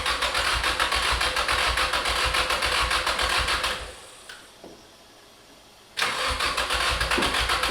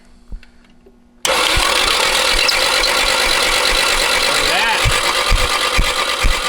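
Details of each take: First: Abandoned Nissan 240SX S13 with SR20DET swap, started for the first time in about 14 years: starter spins, the engine catches and settles into a steady idle, then a clean rev. It sounds healthy; normal start and idle. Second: Nissan 240SX S13 with SR20DET swap, abandoned for years, cranking with valve cover off: loud busy clatter on an uneven starter beat about two per second, no firing; sounds terrible, cause unclear, possibly stuck rings.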